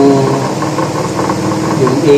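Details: Washing machine drive after repair: even, steady motor hum through the drive with no scraping, squeal or knocking; the loud, ear-hurting drive noise is gone and it now runs quietly and smoothly.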